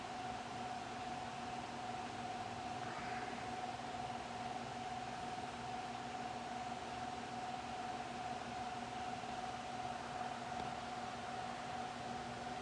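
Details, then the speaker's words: Fasco Charleston 38-inch ceiling fan with light kit, used, running on low speed; smooth even hum, soft steady air whoosh, faint constant tone, no ticks or wobble. Normal running on low. "Got a nice aesthetic low speed."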